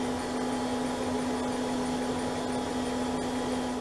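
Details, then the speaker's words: 1980s CDC Finch 8-inch hard drive during a diagnostic-card seek test (disc 0, tracks 0 to 200): steady motor hum with a faint tone and soft periodic seek ticks about once a second; normal head seeking, seek test passing. "I can hear it seeking that's all we're passing a seek test"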